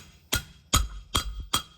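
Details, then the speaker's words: 1954 IHC Metro van front wheel bearing race being driven in with a socket: four sharp metallic taps about 0.4 s apart, the later ones ringing higher and more solid as the race bottoms out fully seated in the hub. "You hear it when it changed tone? That means she got home right there."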